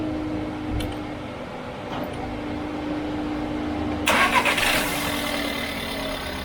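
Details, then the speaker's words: VW Golf 6 1.4 TSI (CAXA), first cold start right after timing chain replacement: quiet hum, engine catches and settles into an even idle with no chain rattle; the remaining sound is the fuel pump since the car is cold. Normal. "gördüğünüz gibi zincir işlemleri bittikten sonra ilk çalıştırması bu şekilde fark ediyorsanız iyi dinleyin zincir sesi hiç yok gelen ses Şuradaki benzin pompasından araç soğuk olduğu için"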